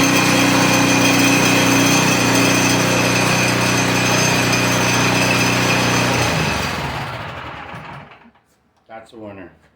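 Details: Used Craftsman rototiller after a repair with no replacement parts, choke on, a little throttle. The single-cylinder engine fires and holds a fast, steady putter for several seconds, then winds down and stops. It runs healthy.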